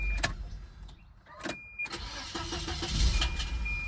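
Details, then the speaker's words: High-mileage 1994 Volvo 940 Turbo: a slow, labouring crank with a sharp metallic clack as the starter engages before firing; owner suspects the starter rubbing the flex plate, unconfirmed. "Listen carefully to the noises when it starts. You notice there's that little that little clunk metallic clack."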